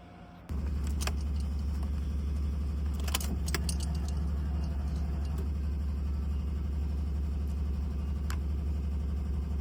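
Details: Honda Civic after new coolant temperature sensor, ignition control module and rotor fitted: starter drags slowly at about four pulses a second and never catches; weak battery can't spin it fast enough. Slow crank no start.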